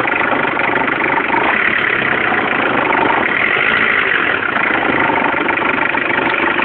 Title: bruit moteur